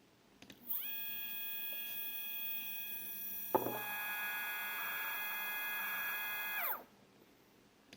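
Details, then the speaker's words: Second Z-axis stepper running alone on a Duet board, 2 A, acceleration 120, feed rate raised to 2000: a steady high whine with a sharp click and uneven rough patches. Irregular noise, cause unknown. "and it's really tough and again you can hear some irregular noises"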